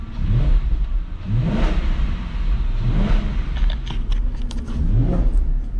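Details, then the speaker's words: Audi C5 S6 barn-find V8, warmed up and freshly oiled after about 20 minutes of running, with residue burning off after cleaning. Three smooth free-rev sweeps, rising and falling evenly with no knocks or misses; running very well. "all right well this thing's running pretty freaking good"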